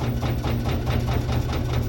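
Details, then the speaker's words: Washer-dryer on spin-only with no clothes: heavy low rumble with rhythmic thumps about six per second, machine jumping; possible broken shaft or imbalance, cause not confirmed. "então costuma balançar bastante e fazer um barulhão mesmo sem roupa"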